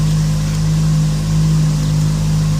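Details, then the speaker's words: 2006 VW Polo 9N petrol engine idling quite high and very rough because of a vacuum leak at a damaged vacuum hose, which also leaves a very stiff brake pedal; low, slightly uneven hum. "I wanted to make this video just showing you the rough idle that happens when you have a vacuum leak in your polo notice that the car idles quite high it's a very rough idle"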